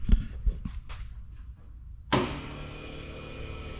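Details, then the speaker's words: Ford Model A four-cylinder with a new under-floor electric fuel pump added because the carb sits too high for gravity feed: clicks then a steady pump hum and sounds in the tank, but no fuel reaches the test bottle; pump suspected not primed or not drawing. "I'm not getting anything so far. You can hear the tank doing stuff inside. I don't know if that pump is having a hard time drawing fluid."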